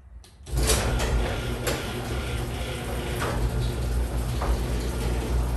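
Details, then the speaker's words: Garage door after lubricating every hinge, roller and the top spring with 3-in-1 garage door lube; it now runs with a steady low rumble and a few soft clicks, no squeak, a quiet repaired door. "and quiet sounds much better and there you have it a squeak free garage door"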